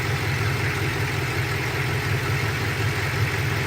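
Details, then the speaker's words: 2007 Ford F-150 4.6 2-valve V8 after cylinder 6 misfire (P0306) fixed by swapping coils, possibly a loose plug: even, low burble with steady rhythm, no stumbles; running clean, not misfiring. "I'm driving it's not currently misfiring running pretty good"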